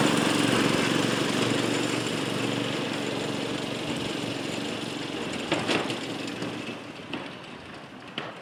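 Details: 1992 lawnmower 5HP Briggs & Stratton single-cylinder engine on a DR Power Wagon utility cart, after a fuel leak repair. It runs steady and even, fading slightly as the cart drives off, with no misfire or surging.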